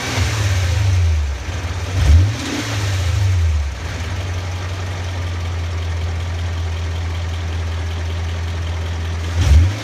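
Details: BMW E39 M5 V8 engine, recorded from the passenger-side strut mount: deep V8 hum with a few revs and a light tapping coming through between 1800 and 2400 rpm.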